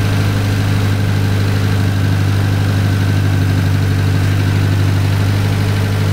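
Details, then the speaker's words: Cushman kei mini truck small engine after ring rebuild, manifold oily and burning off, timing to be backed off: deep steady idle with faintly uneven pulse, not yet settled; idle air screw on the carburetor still to be adjusted, surging noted. "got a little carburetor adjustment we're going to figure the idle air screw out and adjust that a little bit and get her to settle down here and just Smooth Up"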